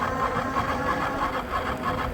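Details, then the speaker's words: 2024 Mokwheel Obsidian e-bike in pedal assist level 5: steady motor whir with faint repeating mid-pitched rub in time with the wheel; front hydraulic brake hose, pushed and twisted by basket mounting, catching the tyre and spokes. "The front brake tube for the hydraulic brakes was rubbing on the inside of the tire and also hitting the spokes."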